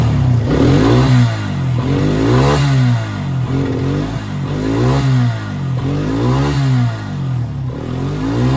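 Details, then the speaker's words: Quad bike with the burnt-out faulty rectifier disconnected, so no charging voltage reaches the battery: repeated blips rise and fall cleanly with no stumble or cutting out. The engine revs freely and sounds healthy. "Perfect. So there you are. Rectifier faulty."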